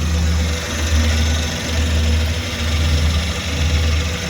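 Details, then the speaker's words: Suzuki DA64W turbo engine at idle after inspection, hoses still soft, only cabin filter needing attention: smooth quiet idle with a soft even low pulse, no rattles or misses; engine sounds healthy. "Yun guys, so ayos naman yung ating naging inspection dito. Bali, cabin filter lang yung ating na ano dito. Yan, tahimik naman yung makina."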